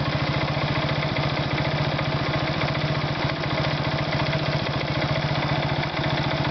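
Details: Irbis Virago 110 small single-cylinder at idle with steady, fairly quick tapping knock; cause unclear.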